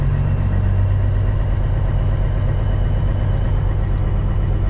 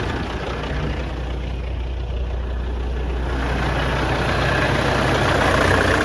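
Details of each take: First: CAT C15 MXS truck diesel after the new internal injector wiring harness. At the certain steady rpm where it is usually worst, a slow uneven pulse of about one wobble a second remains. The shake eases at higher revs and the owner suspects another issue remains. Rough running. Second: CAT C15 MXS truck diesel on its test run right after replacing the internal injector wiring harness, valve covers off. It idles steady and smooth, with no misses or knocks. Normal idle.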